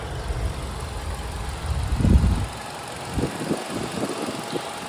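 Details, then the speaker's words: Kia Ceed 1.4 100 hp, original, quiet and even-running engine; steady low idle with light, quick ticking from the fuel injectors, a normal sound. "Nie wiem czy to słychać na kamerze jest charakterystyczny taki cykanie to właśnie paliwo jest dostarczone do komory spalania"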